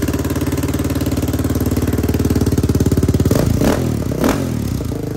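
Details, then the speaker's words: Yamaha Raptor 660R single-cylinder ATV with a new top end, adjusted valves, new battery and no air filter. Steady, even thump at idle echoing off a tree, then clean throttle blips that rise and settle crisply; normal idle and revving. "remember it's a big boy dude you can hear an echoing off that tree when it idles"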